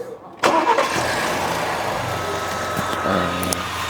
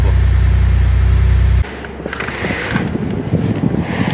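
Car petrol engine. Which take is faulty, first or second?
second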